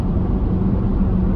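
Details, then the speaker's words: LFD Off Road roof crossbars mounted at the very front of the roof rails, at 70 mph on a windy, stormy day: a faint steady low hum over wind and road roar, air moaning across the crossbars. "now that's 70 and it's uh it's actually really starting to hum right now"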